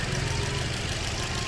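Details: Toyota Altis idling on petrol (gas side runs smooth); compression and injectors checked OK. Faint uneven stumble, one cylinder dropping out: misfire, suspected electrical, wiring or gas control box, not confirmed.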